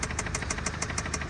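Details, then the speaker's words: 2009 Audi TT 2.0 TFSI, started after being parked a long time with a dead battery: a sharp, regular knock about six times a second over a steady idle, an internal engine knock needing an engine replacement. "it does need an engine as you can hear it is knocking"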